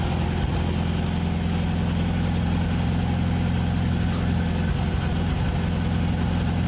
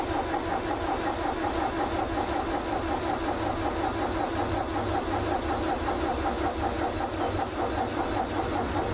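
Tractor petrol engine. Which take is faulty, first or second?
second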